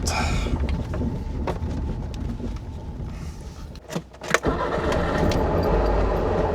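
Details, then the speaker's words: 1989 Trabant 601S Combi, 600cc two-stroke, recovered from a farmyard and being driven home, in second gear: uneven two-stroke running fades out then a few sharp clunks; engine stalls while driving, cause unclear, choke tried afterwards. "It's not a proper road trip revival if we don't have at least one breakdown. What gear do we want? Second. And it stopped."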